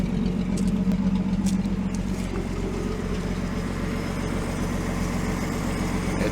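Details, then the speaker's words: Rebuilt 1949 Chrysler 251 flathead, first run in about 18 months, exhaust not connected: an even, quiet idle with a soft steady pulse over the open-exhaust rumble, no tappet or rod noise; engine sounds healthy. "amazing how quiet this is never mind the lack of exhaust but there's no tappet noise no Rod noise thing just wants to run"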